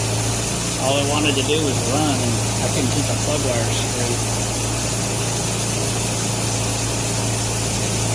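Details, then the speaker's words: 1957 Nash Metropolitan barn find, first run after sitting many years on old gas, after fixing crossed 3 and 4 plug wires: steady, even low-hum warm-up idle with no misses or knocks; normal warm-up idle. "i'm gonna let it sit here and just warm up for a little bit before i shut her down"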